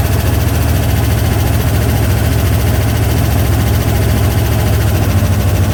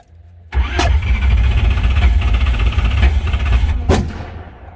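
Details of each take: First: 1968 Corvette, slightly modified V8, after stripped distributor drive gear knocked ignition out of time, running again after repair: steady, deep, even idle with no knocks or misses; running decent, timing still to be checked, fuel leak pending. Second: 1968 Corvette with a modified engine that banged and quit while driving, then cranked fast; fresh battery fitted. It catches with two sharp backfires; the ignition is retarded because the stripped distributor drive gear let it go out of time (a jumped chain was first suspected).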